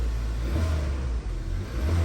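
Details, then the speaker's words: 2013 Kia running after replacing the ignition coils on cylinders 1 and 2 (new spark plugs hadn't cured the misfire); smooth even idle and clean rev with no stumble, engine now pulls well. "se escucha muy bien Y pues ya lo fui a manejar y pues todo está bien así que ese era el único problema que tenía esos dos collos"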